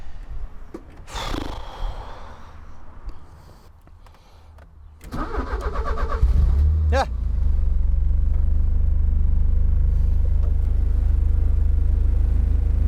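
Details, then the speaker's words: Porsche 944 that would not crank: a few quiet knocks, then a quick crank and catch into a steady low idle after wiggling two twisted-together wires at the back of the steering wheel; a poor wiring splice was stopping it cranking. "But can you see those two wires in there that are connected to the back of the steering wheel? Well, I just wiggled those and that's what made the car spring to life."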